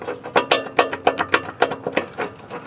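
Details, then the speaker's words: Massey Ferguson MF 25 hay rake wheel bearing removed and spun by hand: rough, gritty clicks three or four times a second per turn; this bearing is worn out, another sounds a little dry. "Or this one, it sounds like it's a little bit dry."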